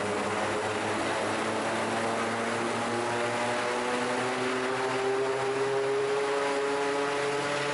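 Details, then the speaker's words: Raptor prototype aircraft engine after the redrive belt fix and tune-up, ground run in wind with a bit of prop pitch added: steady propeller drone climbing smoothly as revs rise, no missing beats. Normal engine run-up. "So yeah, flat pitch. I'm going to put a bit of pitch in here. That should give it about 3,600 RPM."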